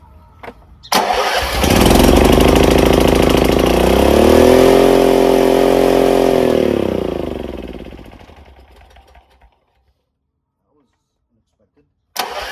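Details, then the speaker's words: Craftsman RER1000 riding mower started on choke after sitting a while: catches and races straight up to a high steady speed, then winds down and stops; high idle because the idle screw needed adjusting. "It was really revving high. So, I told the guy not to come."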